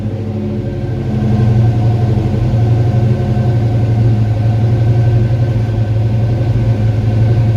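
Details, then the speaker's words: 1986 Mustang V8, speed density, mild cam, new TrickFlow heads, vacuum leaks fixed, new fueling, cold start after sitting hours: deep even rumble rising slightly then settling into smooth steady cold idle, no knocks or misses; repaired, healthy. "but we'll crank her up so you can see what it sounds like it probably is going to surge just a little bit until it warms up because it hasn't been cranked and you know a few hours"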